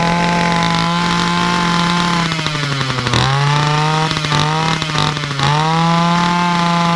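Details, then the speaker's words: Titan multi-tool hedge cutter two-stroke, cold start after three days unused: steady buzz then pitch sags and stumbles whenever throttle opens, cold or warm; faulty carburettor causing bogging, replacement carb to be fitted. "So that's what it's doing. As soon as you try to give it the beans, it don't want to know. And it don't really want to know whether it's cold start, warm start, halfway, or anywhere."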